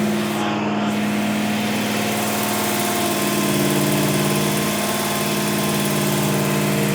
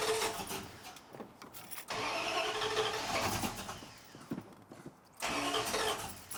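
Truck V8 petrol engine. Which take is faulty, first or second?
second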